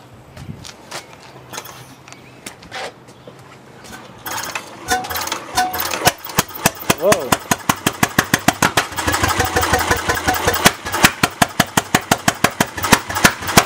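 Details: Bessemer single-cylinder engine on its first test start after roughly 50–60 years unused, with no muffler: loud sharp bangs about three a second with uneven spacing. It runs rough and the timing is thought to need tuning.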